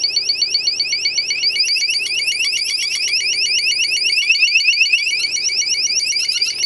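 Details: Cheap mini keypad alarm with a rapid, thin, high-pitched chirping warble at about four pulses a second; the sounder is weak and quiet, and teardown shows the sounder was not screwed down.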